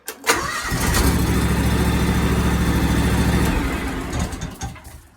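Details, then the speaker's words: 2003 John Deere X585 tractor after no-start fixed by replacing bad battery (13.5 V dropping to 9.3 V under load): quick crank catches at once, steady even idle for a few seconds before shutdown; normal start. "we have success so it's kind of odd that uh i wasn't having any problems"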